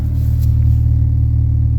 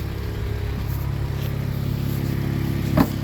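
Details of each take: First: Used car at idle with lifter tick noted, after repairing a previous deep misfire: steady, even low exhaust rumble with no stumbles or missed beats; normal smooth idle. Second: Used Honda petrol engine idling, hood open, during a pre-purchase inspection: light, faint ticking over the low hum, lifter tapping from valve lash that needs adjusting.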